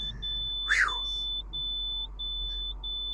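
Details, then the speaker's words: Bus idling after its first start following two days parked and a breakdown repair: shrill beep about every two-thirds of a second until brake air pressure builds enough to release; low brake air pressure warning. "the beeping noise is my brake pressure there it goes once my uh brakes release to a certain pressure once I get there the alarms go off"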